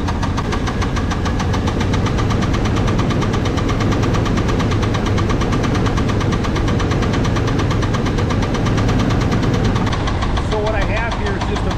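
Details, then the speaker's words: Small-block Chevy V8 running with a pronounced deep knock that gets louder as RPM increases: connecting rod bearing knock. "the knock's pretty pronounced you can hear it it actually will follow up with engine RPM so as we increase the RPM the knock's going to get louder"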